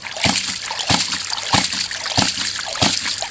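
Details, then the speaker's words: Rife Ram 20 ram pump fed by 2 in pipe from dam, pumping to about 90 ft elevation, after gasket replacement: waste valve counterweight run all the way down, sharp even clacks about 95 a minute over splashing water; fast cycling, working normally. "I can run it all the way down and it's a lot quicker."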